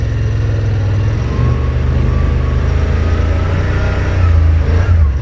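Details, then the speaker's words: Yamaha RMAX 1000 side-by-side in sport mode climbing a rocky road in Utah mountains: low engine grumble holding steady revs under load with brief throttle blips near the end over trail rumble; runs normally. "Video doesn't do it justice, but these rocks are pretty good size and it'll test out the difference, and hopefully you'll be able to even hear the RPM change."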